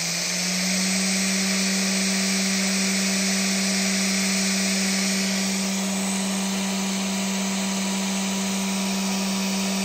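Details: Big scrapyard brushless DC motor driven through a 30 A drone ESC by a servo controller: steady high electronic whine stepping up in pitch as speed rises, smooth and even; motor running healthy.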